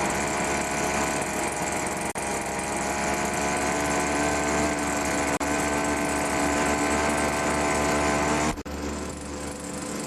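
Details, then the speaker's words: Pro BVM 200 leaf blower with 25cc two-stroke engine, startup: high, buzzy note holding an even pitch with no stumbles or misfires. Normal running. "this one's got a 25c engine so I'll give it a start I don't have any leavs to blow right now but I'll just start up to show you"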